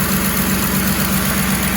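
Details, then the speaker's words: Ford Expedition 4.6/5.4 3V Triton after replacing bank 1 VCT solenoid for P0012: smooth even idle, steady low hum, earlier loud clicking gone; valve timing sounds healthy. "How does that sound? No more clicking noise. Full startup. That's gone."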